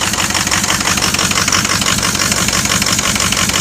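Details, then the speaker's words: 2006 Ford XLT diesel truck, idling, cylinders 1 and 6 suspect: sharp puffing hiss ticking with each exhaust pulse, popping heard; exhaust leak from a broken exhaust pipe, felt as heat underneath. "Oh, that's leaking exhaust like a mother. I can hear it right now."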